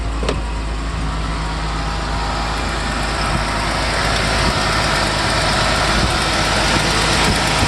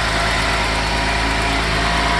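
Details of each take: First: 1990 Mercedes 300SE W126 with an M103 inline-six at cold start, fast higher-rpm idle, with a hissy, puffing exhaust leak; the rear exhaust section was replaced but not the center section. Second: 1990 Mercedes 300SE W126 with M103 inline-six, just revived, at cold start idling steadily at raised RPM; an exhaust leak from the unreplaced centre section, new engine mounts fitted.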